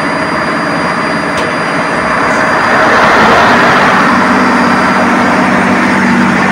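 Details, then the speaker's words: Ship's diesel generator just started: a loud, steady drone with an even beat of about four per second and no knocks or rattles. The generator is running smoothly and sounds good. "Napapansin nyo mga boss, ang ganda ng tunog ng aming generator pagka start, no? Parang hindi lang umaandar."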